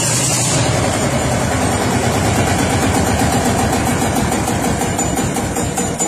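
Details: Old Lanz Bulldog hot-bulb tractor, no battery or starter motor, started with a 12-gauge shotgun cartridge: slow, even single-cylinder thump about two and a half beats a second, partly under music; running steadily after starting.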